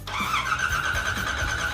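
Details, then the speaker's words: 1969 Ford Mustang Mach 1 after an engine swap, cranked without firing to build oil pressure, which reaches about 40 psi. Steady, even, unhurried starter cranking; it turns over freely. Normal cranking. "I want to just crank the thing and just get some oil pressure into it before we fire it"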